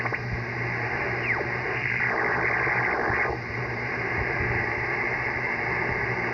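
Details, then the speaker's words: Icom IC-7300 on an end-fed dipole: a steady hiss with a low buzz and warbling chirps across all bands. It persists with house power off on battery, lasts overnight until about 7 a.m., and began after new neighbors moved in; source not found. "this noise usually ends around 7 a.m. and you'll hear it it sounds like an interrogation signal want to get your opinion on it pretty annoying seeing the screen like that"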